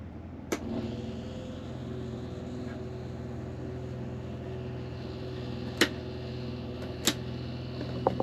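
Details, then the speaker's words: Rear Dometic rooftop RV AC before repair: compressor running in cool with the fan set to auto, and the switches show some wear. Steady compressor hum with sharp clicks and no fan air; the fan won't run in auto, and the thermostat is suspected faulty. "so again no fan so I'm gonna go ahead and change out this thermostat and wonder if there's something with the switches here"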